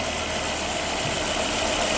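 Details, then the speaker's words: Volvo engine at about 200,000 miles, just fitted with five new coil packs and OEM spark plugs: smooth, even, quiet idle with a steady hum and no ticking or knocking. Normal idle. "it's quiet actually I think feel good actually dude oh my that sounds great I mean you know for 200,000 Mi I think it sounds good dude"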